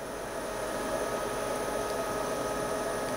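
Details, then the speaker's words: Portable Breezy 3-speed evaporative air cooler on high, filter frozen to 21 degrees, tank holding water: steady even air whoosh with faint constant hum, no rattles or pulsing; fan running normally. "so i'm gonna turn the power on high so i have a 21 degree filter oh that's that's chilly okay let's let it run for a minute"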